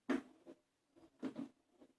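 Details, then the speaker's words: 1997 Toyota Starlet EP91 hydraulic clutch, after greasing the slave cylinder pushrod and release fork pivot ball that had squeaked: pedal strokes give only a few soft dull thumps, no squeak or creak; clutch now quiet. "Quiet, can't hear a thing. No squeaking. Yay! That's how we like it."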